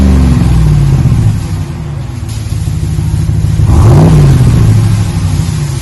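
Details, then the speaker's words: 2020 Ram 1500 Big Horn with a new single chamber V-tube muffler, 5-inch black tips, resonators kept, stock front and factory cats. Deep throaty rumble climbs smoothly with each rev and settles evenly, no rattles or drone. Normal exhaust note. "Been installed a single chamber V-tube muffler. Giving a nice throaty sound."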